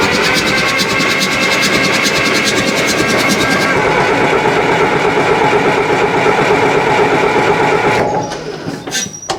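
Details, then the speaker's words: Cat D4 crawler engine cranking on a Delco 42MT/40MT starter with Bendix after starter improvements: brisk, even whirring crank, pulses about three per second, spinning noticeably faster than before. "see compressions out right is it in gear should probably check that whoa yeah that's spinning faster"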